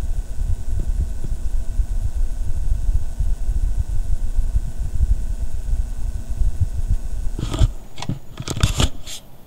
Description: this is driving me crazy, it makes these strange buzzing noises intermittently and its really irritating. it doesn't sound normal at all, it comes from the back near the power supply which i just had replaced.